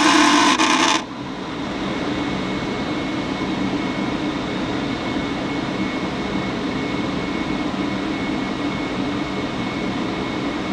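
After a brief clatter at the start, a steady drone with a faint constant buzz runs throughout, suggesting a buzzing furnace blower fan.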